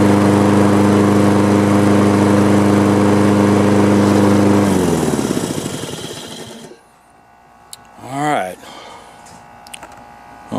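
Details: Husqvarna AWD mower, was running rough with mud-clogged carburetor, after reassembly: steady even beat with no misses or surging, winds down smoothly at shutdown; normal running.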